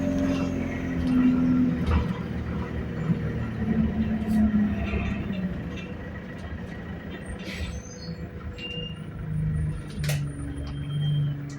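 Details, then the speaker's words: Ride on an ADL Enviro200 bus, recorded on board: steady low whine under road and engine rumble, wavering slightly with road speed; driveline whine of unclear cause. "Bro, what is that whining noise, fam?"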